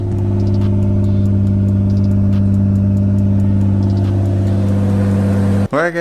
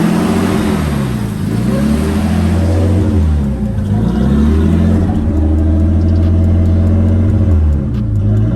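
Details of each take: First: R32 with a rebuilt motor, after a teardown to chase a ticking noise: steady, even idle with a smooth low drone on restart. The ticking is totally gone; normal idle. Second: Nissan Skyline R32 with freshly rebuilt engine, about 100 miles on it; erratic high idle around 1700 rpm, swinging between 2000 and 1000 without settling, more often on morning drives; idle hunting.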